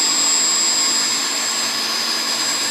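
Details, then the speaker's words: Pump station test: pump motor steady, even high whir with no surging, knocking or pitch wobble, unlike the earlier pressure oscillation between about 92 and 127. Running smoothly as it should. "Perfect. That's the way it should run. Just like that."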